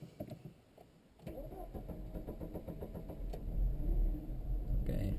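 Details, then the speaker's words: Car with suspected blown head gasket (hard starting, white exhaust smoke), treated with homemade sodium silicate sealer; fourth or fifth cold start: starter churns unevenly, engine struggles to catch. "and another day and this is the fourth time I start the car called Engine little bit hard to start okay so this is I don't know fourth or fiveth time I try to start cold start so we see what happens"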